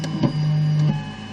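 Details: One-month-old Zortrax M200 3D printer, cold: a short buzzing, scratchy scrape for about half a second during Z-axis moves, louder since firmware v0.0.7. It disappears once the printer is warm; cause unknown.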